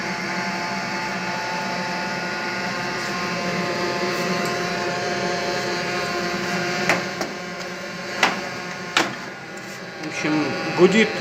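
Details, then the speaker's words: Viessmann Vitopend 100 A1JB gas boiler running: a steady electrical hum from the three-way diverter valve, with a few clicks near the end. The hum changes when the valve is moved and stops when pressed; the cause is unknown before disassembly and cleaning. "трехходовой клапан. Вот мы его шевелим. Он изменяет звуки. Если надавить, то гул этот пропадает. Отпускаю, вот, начинает гудеть."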